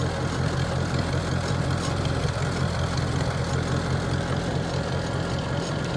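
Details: 1949 Farmall Cub: a steady, even low putter at idle, settled and smooth, with no knocks or misses. Normal idle.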